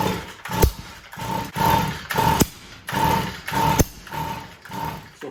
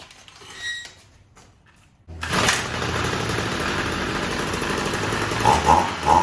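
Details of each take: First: Stihl MM55 Yard Boss (same power head as KM55 and FS55), won't start: each pull gives a ragged rasp with sharp backfire pops instead of catching; caused by a failed ignition coil, fixed by replacing it. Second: Stihl MM55 Yard Boss two-stroke that backfired and wouldn't start, now with a new ignition coil: it catches and blips up to a steady high buzz, running properly.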